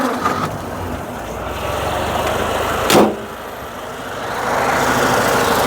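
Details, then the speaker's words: 1932 Austin Heavy 12/4 Windsor, 1681 cc side-valve 27 bhp engine converted to electric fuel pump and points/coil: starter churns, catches, then settles into an even, slightly high cold idle while warming up, no misses or knocks; healthy cold start and idle. "there we go we just got our idling just slightly high while she still warming up that SS absolutely lovely"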